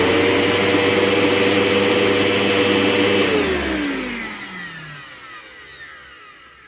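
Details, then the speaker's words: Bissell PowerGlide Ultra 3545-5 vacuum, circa 2001, dusty motor: at switch-off the whine drops smoothly in pitch with a faint rough scrape. Owner is unsure between bearing noise and fan imbalance and thinks cleaning the commutator will fix it. "this motor does have a bit of a wind down to it kind of a bit of like I don't know if that's Bering noise or if that's like the fan being off balance"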